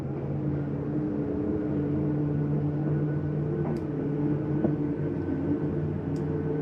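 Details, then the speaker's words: 2013 Palomino Columbus 320RS RV, slide-out extending; an even motor whir with a low drone changes tone at full travel, signalling the slide is out far enough to release the button; normal end-of-travel sound. "there why don't you hear that noise that's the slide mechanism telling you I'm out as far as I need to go ahead and let go of the button"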